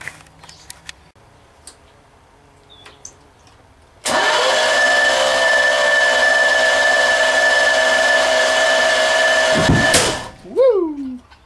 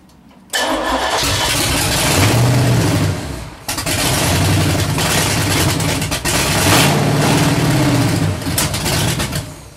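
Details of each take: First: 383 stroker V8 on the shop floor: fast, even starter whir for about six seconds with no compression pulses or firing; owner concludes over-tight valve lash has rockers holding valves cracked open, bleeding off compression. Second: Freshly built 383 stroker V8, first start, running through open headers: cranks, catches and roars with a couple of throttle blips, settling into a very loud lumpy idle; engine runs.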